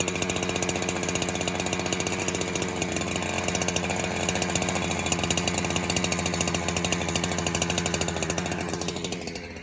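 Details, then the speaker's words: 372 clone chainsaw that leaned out whenever fuel was added, suspected air leak, mixture screw set about 3 1/4 turns out, cold start on choke: it putters along with a loose, uneven burble at idle before dying away, running fat until warm. "So it looks like it's running a little fat right now, but that's just because it's a cold start."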